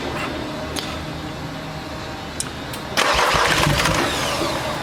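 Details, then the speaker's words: VW Amarok diesel cranked after a failed timing belt was replaced; even starter cranking at three or four turns a second, then louder spinning, never fires; open valves somewhere suspected. Cranks but will not start. "wider up mate i think that's got open valves somewhere"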